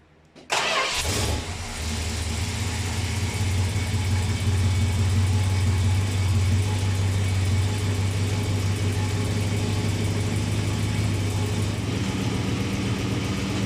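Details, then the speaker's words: Cold start of a 1937 Chevrolet, oil probably unchanged for about 15 years: V8 cranks briefly, catches at once and settles into a steady, even idle with a smooth low rumble, no knocks or misses; nice runner, though idling slightly high. "nice runner. It'll do."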